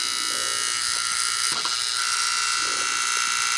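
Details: Sanyo Beta HiFi VCR 7200 with no power: constant high-pitched electrical buzz with a few faint clicks and no motor turning; the noise changed when a Zener diode in the supply was moved; transformer buzz.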